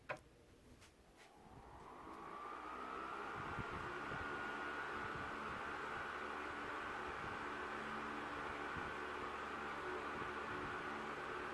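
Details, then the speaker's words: Mid-1970s first-generation Lasko (Galaxy) 3150 12-inch oscillating desk fan, Sanyo parts, with its low-speed wire re-soldered and oiled, starting on high. A whirring builds over a couple of seconds, then holds steady with no rattle or scrape: runs healthy and powerful. "powerful as expected with one of these old laskos and it makes kind of an interesting sort of whirring noise i really like the sound it makes"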